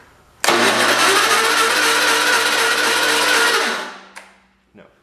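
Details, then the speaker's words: 1980s Husky garden tractor, acquired free: steady whirring crank for about three seconds that never catches, then spins down. Cranks but won't start with no spark; the plug is to be cleaned, and the key switch grounding the ignition is suspected. "no spark let me try cleaning that plug up a little bit and then i'll bring you guys back and we'll try it out"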